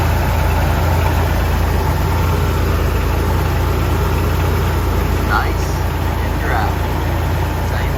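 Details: Toyota 4Runner at a steady low idle just after an oil and filter change (five quarts added): even rumble with no knocks, ticks or misses; engine running smoothly, normal idle.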